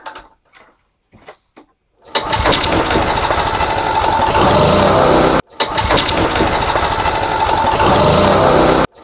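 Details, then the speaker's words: Homelite HGCA3000 3500 W single-cylinder generator with a new carburetor and the airbox not yet fitted, no load; catches after a few hesitant pulls, then races high and buzzy, running too fast; overspeed, adjustment still to be done. "okay it's funning seems to be running a little fast though I'll have to adjust it after"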